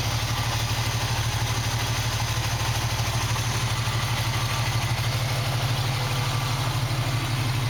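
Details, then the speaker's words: 1965 Mustang with redone fuel lines and working choke, started after already having run: even idle pulse about three beats a second with no stumbles; smooth, healthy idle. "Now that I got the choke working, it starts a lot better. I've already had it running, so it's going to start right up."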